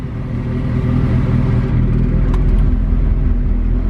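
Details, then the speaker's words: Honda Civic EK hatch with a built turbo B16, bought not running, now idling at 80 psi oil pressure. Deep, steady rumble with an even beat and no knocks or misfires. Oil age unknown. Normal idle. "sounds like built motor to me who knows how old the oil is"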